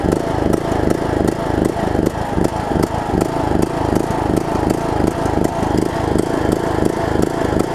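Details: John Deere LA105 riding mower single-cylinder engine, sat about three years, run around 40°F after tank and carb cleaning, pulses unevenly about three beats a second, speed hunting; surging, owner suspects remaining tank gunk.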